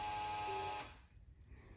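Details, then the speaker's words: Toyota 2JZ running an ECUMaster EMU Black with sequential fuel and spark from the distributor: short electric buzz under a second at key-on, fuel pump set to prime 1.2 seconds on output AUX5, then cuts cleanly; normal prime. "as you can see I have it set to like um prime the pump like 1.2 seconds and the pump is hooked to Ox five"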